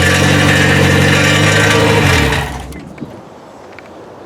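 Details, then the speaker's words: K20-swapped Honda EK hatch, first running just after the swap: runs low and uneven for about two seconds, the rhythm stumbling and sagging before it dies out; unstable idle, described as fluttering down low when left on its own. "like when you first started it it's just fluttering down here"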